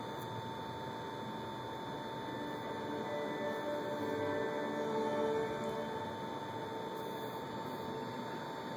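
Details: Sony PS3 console making a steady high whine over a faint, uneven rattle about three times a second. The console sometimes fails to load or warns that system files may be corrupt, and works after a scan but always makes this noise. Cause unknown.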